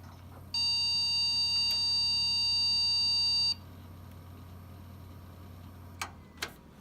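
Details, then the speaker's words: Trash-picked HP PC from about 2010–2011 at first power-on: one steady high beep about three seconds long, then quiet; a power-on warning suspected to be memory, not confirmed. "we'll probably get some dust that's not good sounds like memory"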